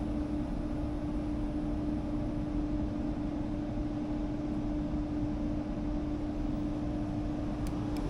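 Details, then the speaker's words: HVAC system after a low-voltage short was found and repaired, being cycled on and off to test: thermostat clicks, fan comes on, even airy rush over a steady low hum with no rattles or surging; normal running. "all right thermostat just clicked fan came on line set came off"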